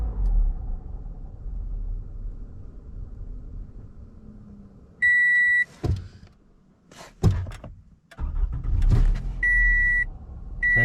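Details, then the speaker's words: 2014 Toyota Camry, 207k miles, warmed up: after releasing the throttle the idle sags low, shakes hard and stalls, chime sounds, restarts; caused by oily carbon buildup at the throttle body butterfly valve, fixed by cleaning. "Struggling to hold an idle. Real low idle. Shaking real hard, and oh, and she shut off."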